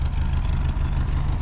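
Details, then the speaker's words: Abandoned 1973 Ford Pinto Squire wagon running on old fuel: uneven, lumpy, loping idle, not smooth, still putting out some smoke, which the owner blames on bad gas. "i mean she is uh she ain't purring like a kitten but she's running still putting out a little bit of smoke not surprised"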